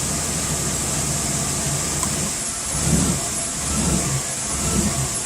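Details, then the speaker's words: 2001 Chevy Blazer petrol engine idling about 700 rpm, then mass airflow sensor unplugged as a test: rough idle surging about once a second, pointing to the MAF sensor; to be cleaned, else replaced. "getting some real real rough idling here so obviously it is our mass airflow sensor"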